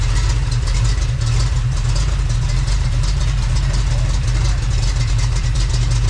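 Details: Freshly built Chevy small-block 350 (roughly 355) on test run, voltage gauge wiring being checked; deep even idle rumble with steady beat and no knocks or misses, running smoothly.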